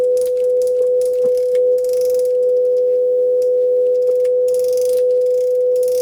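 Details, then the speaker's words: JVC VN-300 vintage amplifier after repair, powered through a bulb limiter, on AUX 1 with a phone generator test tone: a single steady mid-pitch tone, clean with no crackle or hum; amplifier passing signal properly. "Ja tu już mam wpięty sygnał testowy z generatora na telefonie. No i zobaczmy. No jak widać dobrze to działa."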